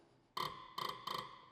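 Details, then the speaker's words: Tractor diesel injector nozzle on a pressure tester at about 120 bar after the nozzle tip was replaced: three crisp, high creaking chatter bursts. It now sprays a fine mist instead of jets, which is the correct, healthy sound. "Now it's not going to be jets like it used to be, but now it's going to be a mist. That's how you want it. And the sound is completely different now."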